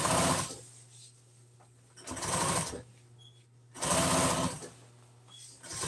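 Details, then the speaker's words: Sewing machine sewing a single-stitch seam, no top stitch, in gray thread on burgundy seat-cover pieces for a 1997 Ford F350: short, quick, even bursts with a steady motor hum in the pauses. Healthy, normal stitching. "It's just got a stitch. So, it's all it is is just sewed together one time."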